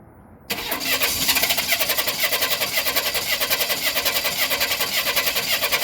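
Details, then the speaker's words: 1995 Chevy Blazer 4.3L, relative compression check, clear-flood cranking with the cylinder 1 spark plug removed: fast steady cranking where one beat per cycle sounds lighter, showing low compression on cylinder 1. "If you listened, you could hear the audible tone difference. That's cylinder 1. Obviously, there's no spark plug in there, but you can hear it had low compression."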